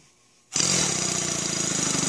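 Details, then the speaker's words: Stuart Sirius model steam engine, newly assembled, cylinders packed with ceramic insulation, test run with no load: starts abruptly into a fast even hissing chuff with steady exhaust beats, no knocks; runs well unloaded. "I'll go ahead and run it a little bit yeah just so you can see it and hear it but it's kind of pointless in a way without any I mean load on it"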